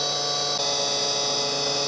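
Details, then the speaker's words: Tree Journeyman 325 CNC mill spindle at full speed after a bearing service and motor pulley balancing: a high, steady whine with a faint rough edge. The earlier rubbing noise is gone, but the spindle bearings are near the end of their life. "it sounds different than before a little bit better although still uh these bearings definitely on their last legs left to get new ones but uh this will hold out for now"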